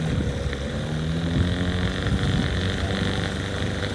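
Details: Outboard on an abandoned jon boat, sat over winter and unknown if it ran, first start attempt in water: steady buzzing two-stroke drone at even pitch, no stutter or surging; runs cleanly, better than expected.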